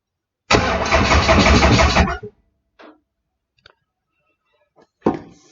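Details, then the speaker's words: Toyota 2AZ jetboat engine being wired to a G4x Link ECU, start triggered by bridging tool, battery dragged down: quick steady starter whir about 1.5 seconds, even beat near three per second; starter working normally. "i probably should have left the starter motor disconnected for this job but we did hear that going so that is working"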